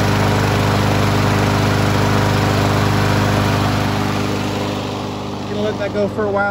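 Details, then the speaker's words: 2019 Troy-Bilt TB110 push mower (150cc Briggs & Stratton) after fixing a hydrolock from oil overfill and a broken blade adaptor, run about 20 minutes to burn off the oil. It holds a steady, even fast-idle beat with no misses, smoke stopped. "it stop smoking for this one it was hydrolocked I had I just ran it for like 20 minutes and it kicked out all that oil that was left"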